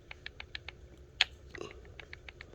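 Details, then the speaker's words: 2021 Traxxas Slash 4x4 Ultimate RC truck, gears turned by hand: light crisp ticks a few per second, no grinding or binding; properly adjusted pinion-to-spur gear mesh, checked through every tooth since the pinion is not perfectly round. "when you set that up make sure you go through every tooth because the pinion gear is not perfectly round and you want it to be perfect you don't want it's too tight in some spaces and you don't want it to be too loose"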